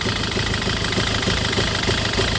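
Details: 2008 Citroën Nemo van idles unevenly with a lumpy, misfiring pulse about three times a second after a no-start fix; blamed on excess fluid residue in the combustion chamber, expected normal once dry.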